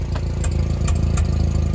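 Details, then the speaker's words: Nissan Hardbody 4x4 with check engine light, intermittent misfire (owner thinks firing on 3 cylinders) and suspected vacuum leak, heard at the tiny muffler: uneven idle with sharp pops about every third of a second, like small backfires; cause unknown. "Seems like it's backfiring a little bit, yeah. Tiny little muffler there."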